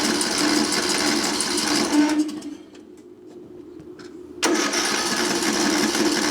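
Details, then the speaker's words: Craftsman LT1000 riding mower left sitting outside roughly five to ten years, cranked at full throttle with auto choke; starter churns in an uneven chug, stops, cranks again, never catches. "I think what I'm going to do is go ahead and take this carburetor off and then just stick my fuel in here and bypass that carburetor we'll see what happens"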